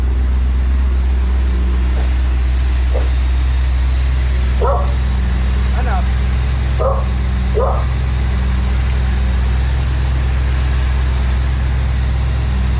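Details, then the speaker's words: 1986 Pontiac Trans Am after sitting 17 years, carb and fuel system work, warming up after cold start: deep, steady, even idle with no misses or surging, dwell reading between 30 and 35; normal idle. "Just to bring it back on, you can hear how smooth it's running right now. And the dwell is sitting right between 30 and 35."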